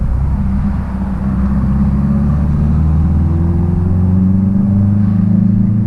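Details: 1966 Triumph Spitfire, rebuilt 1147cc engine, after fuel system stripped and lines flushed: low drone rising smoothly in pitch pulling through the gears, no stumbles or popping; normal acceleration.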